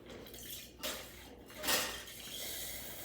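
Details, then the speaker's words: Breville Barista Express steam wand warming up after a full service. Irregular wet spits and hissy bursts as the first few seconds purge water before the thermoblock heats and the pump kicks on. Normal steam wand water purge. "lastly just a seam one so we're going to let this warm up first few seconds is always water until the thermal block rapidly Heats itself"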